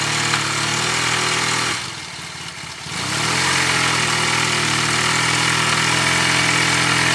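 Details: Yamaha T-Max scooter idling with a brief throttle blip: a regular metallic knock rides under the exhaust note, typical of worn crankshaft bearing shells.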